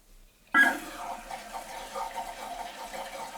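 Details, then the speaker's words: Newly replaced toilet fill valve and flapper: a sudden rush of water, then a steady, even hiss as the tank refills normally to about an inch below the overflow, with the flow knob then turned down to cut the noise. "make sure it refills where we want it cannot stand that noise it's making so what I'm going to do is just turn that down a bit"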